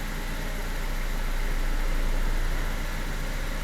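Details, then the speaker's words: BMW E87 N45B16 engine after VANOS replaced again to cure a knock: smooth steady idle with no ticking or knocking, injector clicks audible; quiet now, owner unsure how it will be when warm. "да, да. Сейчас тихо. Я не верю своим ушам."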